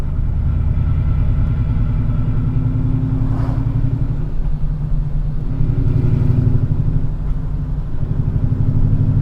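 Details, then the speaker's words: BMW E39 M5 driving in 4th gear at low RPM under light load: low steady drone, faint rumble beneath the engine note, maybe also in third with notchiness; possibly gearbox bearings. "Can you hear that little rumble? So now we're not next to the concrete wall, you can't hear it, but it's there in 4th gear at low RPM."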